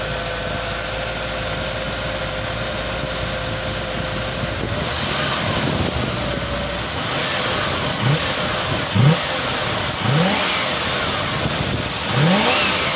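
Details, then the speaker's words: 1978 Ford P6 LTD barn find from a shed in regional Victoria, Australia: engine settles then quick blips rise and fall cleanly with no knocks or misses; said to run well, gearbox shifts nicely, no diff noise; normal engine revving. "now this car does start and run quite well the engine sounds good the gearbox shifts nicely and there's no no noises from the diff [Music] so it actually sounds like a very good motor"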